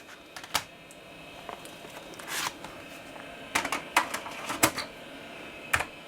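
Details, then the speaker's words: Dell 486P/20 floppy drive, heads possibly dirtied by bad discs, now with an unformatted floppy: crisp irregular ticks and clattering bursts of head stepping, no scraping; normal seek. "That sounds much better. Okay, so you can't read from this drive because it is a unformatted floppy, but it sounds normal."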